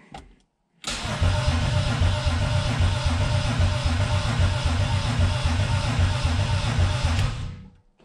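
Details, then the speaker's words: Turbo BMW E36 build, first start-up attempt, about four gallons fuel, good battery and grounds: steady starter cranking at about four compressions a second that never catches; fuel feed and return lines reversed, feed line dry. "still got a problem all right um the the fuel lines are reversed and i pulled this off this is the feed line this [ __ ] dry as [ __ ] and this has been getting wet all goddamn day"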